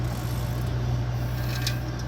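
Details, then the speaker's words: Healthy reference hybrid transmission damper from another good hybrid car, turned by hand: only faint dry rubbing and light clicks as it moves, unlike the Prius noise being diagnosed. "Es un ruido muy leve cuando esas pitas se mueven. Miren, pero nada que ver con el ruido que escuchábamos allá."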